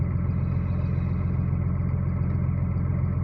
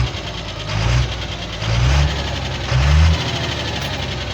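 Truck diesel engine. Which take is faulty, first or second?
second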